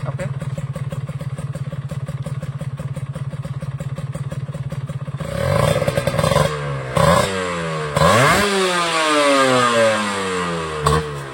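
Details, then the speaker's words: Kawasaki Ninja two-stroke with a replaced standard B-size piston instead of the B75 oversize: light, even ticking at idle about three a second, then clattery revs; mild piston slap, judged within tolerance. "tadi Mungkin kedengaran ya ada bunyi kerja itu ya tapi emang segitu yaitu masih batas toleransi"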